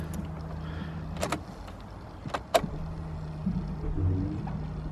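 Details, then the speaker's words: BMW E46 3 Series diesel after fuel filter replacement, ignition on to prime the drained system: low steady hum for just over a second, a couple of clicks, then humming again as the pump pushes diesel to the injectors; normal priming. "Yeah, you can hear the fuel pump pumping fuel through."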